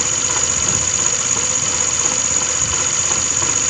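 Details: TVS Scooty Streak scooter engine running: harsh, hissy, high-pitched rasp with uneven tapping, rough bottom end; owner suspects engine bearing noise, checked via clutch roller/bush set and transmission gear dismantle, not confirmed.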